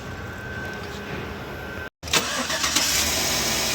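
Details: 2012 GMC Yukon after top overhaul for misfire and jerking (plugs and injectors changed earlier without fix, cylinder head removed and reinstalled): engine starts on first try and settles to steady even idle, no misfire, no engine light.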